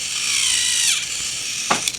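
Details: Thomas Trackmaster toy train after gear replacement (cut-down aftermarket gears) and new rubber tires: high, smooth, even motor-and-gear whir without skipping or clicking, a normal gear drive.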